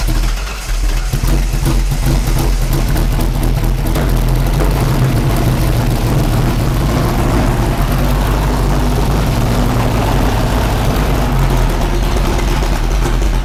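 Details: 1988 Fox body V8 drift car, after a setting that had been 180 degrees out was corrected; timing found far off and checked at 0 degrees. The engine catches and settles into a heavy, steady low rumble with no misses heard.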